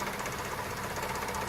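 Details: Mercedes ML350 engine at idle: a quick, rapid tapping knock over a steady idle hum, from the front accessories; the owner suspects a pulley or belt, others suggested the air pump; source unconfirmed.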